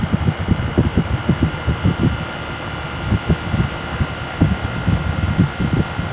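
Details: SmartComfort heat pump running: steady hum and fixed whine broken by repeated low thumps every few seconds; recurring abnormal noise, cause unknown.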